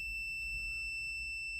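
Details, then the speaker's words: Multimeter on the continuity setting with its leads tapped together before testing an electric dryer's thermostats and sensors, power off: one steady high beep held without a break, showing no break in the circuit. "If it has the setting or that function, you'll hear a beeping and that means that there's no break."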